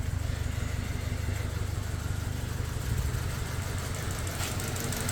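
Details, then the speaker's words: Toyota Fortuner petrol (possibly 2TR, 2.7) with LPG, misfiring on both petrol and gas, steady low idle with an uneven lumpy beat; cylinder 2 dead, injector wiring chewed by rats, plug and coil swaps didn't fix it. "ตอนนี้ผมก็เช็คเจอแล้วนะครับเกิดมาจากสูบ2ไม่ทำงานนะอ่า"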